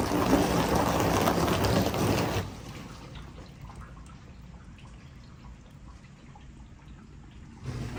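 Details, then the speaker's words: Whirlpool dishwasher that was not washing, after tapping the wash motor housing with a screwdriver on live test: steady rushing water spray with even motor hum underneath; wash pump now running and circulating normally. "Not on the plastic too much, but basically on the housing. And just like that, she's running."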